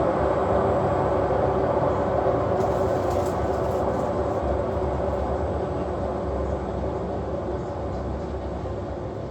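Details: Washing machine spin cycle with a heavy, continuous rumbling roar throughout and no clean hum underneath; badly worn drum bearings.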